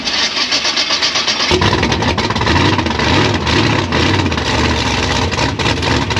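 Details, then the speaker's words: Gasser C10 race car, carbureted, fresh spark plugs gapped to 35, recent jet change, cold before warm-up: catches after cranking, runs lumpy with sharp pops, then shuts off; popping on startup, owner plans to back idle mixture screws out to 1.5. "So upon fire up, it just pops and then shuts off."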